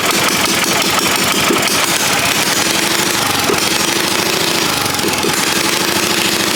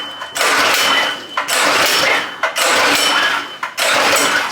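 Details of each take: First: Predator 212 single, after pushrods refitted, engine loosely mounted: fast, steady running with crisp even exhaust, no misses or knocks; normal running. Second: Predator 212 engine on a vintage go-kart, choke on, good spark, old fuel, carburetor not yet cleaned: three sharp pull-cord rips about a second apart, each dying with no firing. Cranks but won't start; a dirty carb is suspected.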